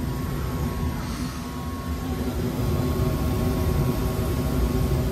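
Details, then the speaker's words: Gas furnace after cleaning dirty burners, flame sensor and igniter on a no-heat call where burners lit then went out: steady, even low roar with no sputter or cut-out; burners now hold flame normally. "oh yeah much better look at that oh we're gonna let her run for a little bit and see how she does"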